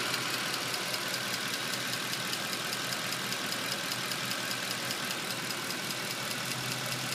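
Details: 2010 Mercedes C63 AMG V8 petrol engine idling with a fast, light, even ticking over the smooth run; owner doesn't know the cause.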